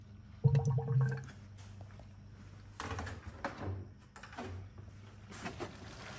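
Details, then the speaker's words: E93 after replacing the electronic water pump and thermostat, bleed procedure (pedal held 10 s, battery on trickle charger): low pump hum with bursts of watery gurgling and sloshing as trapped air leaves the cooling system; coolant drawn down. "I'm going to wait to listen for the water pump to turn on and there it goes there she goes she sucked all of that down"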